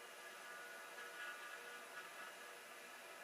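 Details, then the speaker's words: Hard drive (TM602S/TM603S pair), spinning after a tap freed stiction; red light not on: even, steady whir with faint high hum, no scraping or knocking; normal spin. "But the drive is spinning. Which is a good sign, I think."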